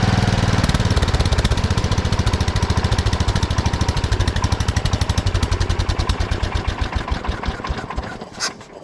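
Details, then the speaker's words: 1979 Kohler K301 12 hp single-cylinder from a Wheel Horse mower: idle far too fast after the carburetor idle was over-adjusted, then slowing once readjusted; the throttle shaft also affects idle. "there's a lot of idle I've been trying to adjust it the carburetor a little bit but we'll see what it does now I readjusted it back"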